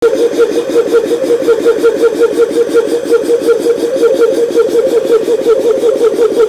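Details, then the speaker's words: GSV-1/12 (1101V5) compressor after repair, parts turned down on lathe, bench-tested before return: fast, even pulsing beat with clear mid tone, no knocks or rattles; normal compressor run. "робота зроблена робота виконана компресор випробуваний клієнт має бути задоволений"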